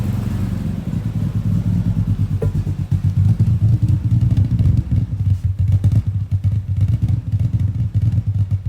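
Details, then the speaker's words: Nissan GTR run after sitting for years, second start: uneven lumpy idle with irregular stumbles, running poorly; plan to clean airflow meters, fit new plugs and inspect. "so GD I was running sort of yeah sort of pretty poorly"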